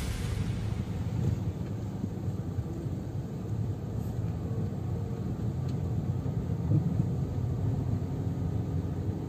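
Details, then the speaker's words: 2010 Toyota Yaris test-driven over paving blocks after oiling the door and trunk rubber seals to cure creaking: only tire rumble and low engine hum, no creaks or squeaks from doors or trunk. "dia anteng ya Enggak enggak bunyinya teman-teman bisa denger tuh"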